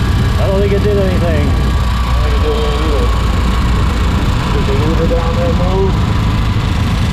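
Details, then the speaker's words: 1964 Triumph TR4 on its first shakedown drive on a hot day (about 95°F) after a DIY rebuild of a TR3 three-synchro gearbox and overdrive; steady, even low rumble with no whine, grinding or clunks, shifting cleanly. Gearbox sounds healthy, though the overdrive solenoid isn't engaging. "all right so so far the transmission seems really solid shifts in and out of gear no funny noises or anything like that"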